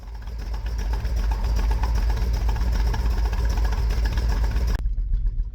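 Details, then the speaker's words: New engine that makes no power: deep loping idle with an irregular, choppy beat about two and a half times a second; it sounds like a big cam, but the engine is running badly. "to the untrained ear, this probably sounds like some really good cam shaft sounds going on here, but this is bad. This is a $6,6500 engine under the hood of this car and it was dropped off with me because it's just not right and the fella couldn't figure it out."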